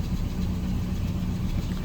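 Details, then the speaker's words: 1979 Lincoln Mark V idled down: lumpy, uneven idle with occasional stumbles, a misfire. Owner suspects a plug wire not fully seated, or possibly an exhaust leak. "idle it down a little bit it has a bit of a misfire i wonder if i didn't plug in one of those cables all the way yeah something's up with that"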